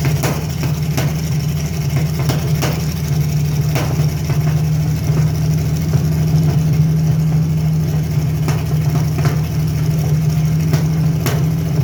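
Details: Carbureted Chevy Lumina 3100 V6: lumpy, uneven idle with irregular stumbles and pops; misfire traced to a bad coil pack, also a small vacuum leak.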